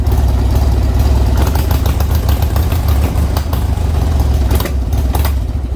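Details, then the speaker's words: Old Harley-Davidson Sportster V-twin after intake gasket replacement, hard to start: lumpy, stumbling idle with clattering and sharp pops; owner suspects carburetor issues and plans to remove the carb; rough running. "but they're all carb issues so we'll be foreign I'll be taking the card back off and figuring out what the the issue is"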